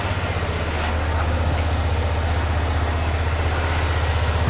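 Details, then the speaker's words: 2001 Honda Rincon ATV, sat over two years, warming up on choke; steady low even thump about three pulses a second, no misses or rattles, sounds really good; normal idle. "sounds really really good"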